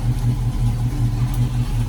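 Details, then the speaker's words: 1968 Ford Mustang coupe, 302 V8 with mild cam, 3-speed manual, just started by owner: deep, lumpy idle with steady low rumble and slight cam lope, even and smooth; sounds good, healthy idle. "let me see if i can try to start it up here um let's see this sounds good"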